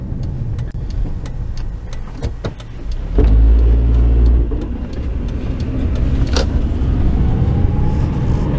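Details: 2005 Honda Element 4x4; low, rough grinding scrape from the driveline when pulling away under load, with chime ticks over it: grinding noise on takeoff.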